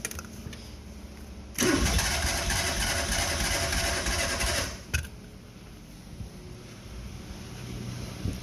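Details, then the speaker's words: Neglected small French car, hot-wired with a start button and starting fluid: about three seconds of steady cranking that never catches, then stops; throttle completely seized. "wants to start I know it was the primary here swaddle is completely seized yep throttle is completely seized dang it it's not gonna work"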